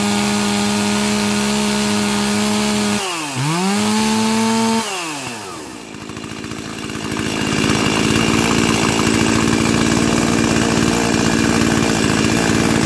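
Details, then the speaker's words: Stihl 036 chainsaw rescued from a junkyard, carb fitted and tuned, new NGK plug, 20-inch bar: crisp two-stroke wail dips on throttle changes, then holds a steady high scream at full revs, 13,410 max rpm; clean, healthy saw. "Alright, so we got maximum RPMs of 13,410 right now. I think my target was 13,000, but I'll actually have to go and check the specs on that for sure. But I know that Stihl chainsaws have high RPMs."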